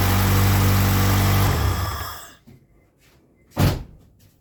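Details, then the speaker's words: 2000 Acura Integra B-series engine run about 3 seconds from cold, then coolant cap pulled: short sharp hiss of pressure pushed into the coolant reservoir, indicating a blown head gasket. "you hear that the pressure went into the reservoir"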